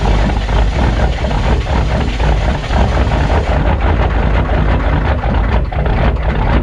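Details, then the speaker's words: Cold start of a truck with a naturally aspirated three-cylinder diesel (believed 201) and offset reduction starter: loud, busy diesel clatter at steady cold idle, even and unbroken, no misses; normal cold-start sound. "[Applause] so it's got that three cylinder 201 i believe diesel in it naturally aspirated"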